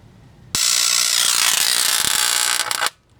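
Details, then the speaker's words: RCA CTC16 round-tube vintage TV with substitute flyback, at switch-on as tubes warm up: sudden hissing, spitting crackle for a couple of seconds then self-extinguishes; high-voltage arcing along a carbon track, possibly tripping the circuit breaker. "Yeah, nice. That's what you call carbon tracking. Oh yeah, let's get this party started. Self-extinguishing."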